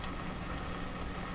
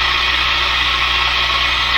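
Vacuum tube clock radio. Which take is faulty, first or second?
first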